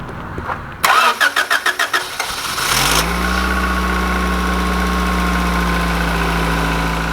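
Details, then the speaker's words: 1991 Honda Accord CB7 after a valve lash adjustment (sounded like marbles before): brief crank, quick catch, then a steady, smooth idle with no ticking or rattle; normal start and idle. "way smoother so much better and that there fellas is how you adjust valves"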